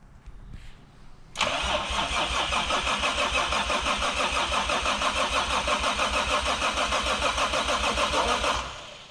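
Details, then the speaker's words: Toyota Supra first start attempt after about 10 years sitting, fuel tank modified: even starter cranking about three turns a second for seven seconds, never fires; owners suspect ignition timing, a leak also found. "It's probably just the timing that It's just the timing."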